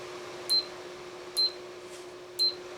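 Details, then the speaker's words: Amana room air conditioner, cycling through fan and AC modes: three crisp clicks about a second apart over a steady low hum; control relays switching normally as modes change. "it's flipping through the relays here you can hear them flip flip flip"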